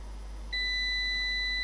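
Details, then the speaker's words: Old UPS being repaired without schematic, on bench supply: single steady high-pitched beep about half a second in, while the monitored pin reads 5 volts then the unit shuts down and goes low; cause unknown. "we have five volts and then it shuts down and goes to low okay"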